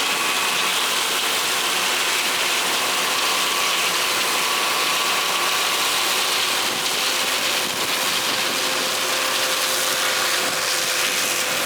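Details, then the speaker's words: John Deere 9400 back running after loading auger gearbox repair; steady mechanical running with light metallic clinking from a broken little bar on the 516 drill, which tends to break them occasionally; needs repair. "that clinking nois you hear that is one of them little bars on that drill it's got a tendency the braak it's a 516 boat and it's got a Tennessee to break them occasionally"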